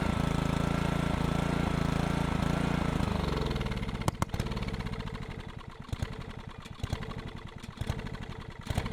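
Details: Old Honda GC160 pressure-washer engine on a Troy-Bilt Horse tiller chugs, slows, stumbles into uneven pops and dies; keeps cutting out. Owner plans new coil and spark plug, suspects fuel pump can't keep up.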